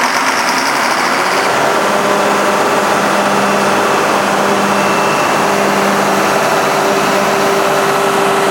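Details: Cat D326 diesel genset (3 ton) run after its fuel lines were re-primed to purge an air pocket. Loud, even running with a steady hum and no misses, knocks or surging; the generator runs smoothly.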